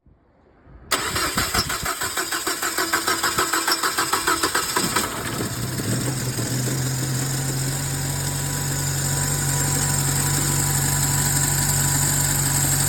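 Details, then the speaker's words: Nissan Tiida with LPG, first cold start after long standing: about four seconds cranking before catching, then shaking, stumbling unstable idle slowly evening out; engine compression and plugs fine, LPG system suspected, hard cold start. "ло покрутити стартером приблизно 4-5 секунд і тоді двигун як-неяк запускався, його трусило, він так захльобувався трошки, працював нестабільно."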